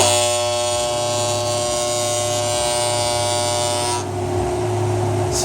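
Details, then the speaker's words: Welder switched on for TIG welding, with the ground-power contactor stuck: a loud steady electrical buzz with harsh low hum stops when the contactor is pushed closed by hand. The contactor is sticking and chattering. "So, you can see it's just it's just stuck. I'm just helping it close and it just sound goes away. So, you can imagine how annoying that is trying to do anything when this thing is just beeping at me."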